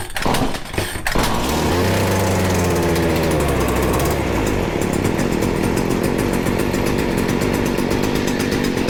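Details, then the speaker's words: Stihl FS40C trimmer during carburetor adjustment, started on choke with the idle screw pushed in: coughs, then revs unevenly with a wavering pitch and a ragged high rev. Owner suspects the carb needs cleaning; running rough. "definitely not quite there yet do a little bit more still is having a hard time we very well might have to clean this carb it's getting better we are so close"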